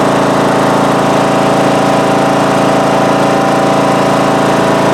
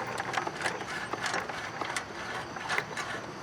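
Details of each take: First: Craftsman mower from about 2010 with a 19.5 HP Briggs & Stratton single-cylinder engine, after re-gluing loose flywheel magnets that caused a loud vibrating tapping noise: loud, even, steady drone at full throttle with no knocks; normal running, charging about 12.8-12.9 V. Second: Craftsman riding mower, about 2010, 19 hp Briggs & Stratton single-cylinder, engine off with shroud on, flywheel turned slowly by hand: faint irregular scraping ticks from inside the shroud, something rubbing; found to be loose flywheel magnets, fixed by re-gluing.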